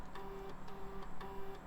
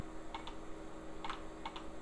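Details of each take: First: Salvaged e-waste retro PC booting a DOS boot floppy after a happy POST beep: short buzzing head steps about every half second with light ticks, even and clean; floppy drive seeking normally. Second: Old PC hard drive in an Asus A7M266 system booting: sharp irregular clicks, four in four seconds, over a steady low hum as the drive struggles to spin up; it freed itself after a moment.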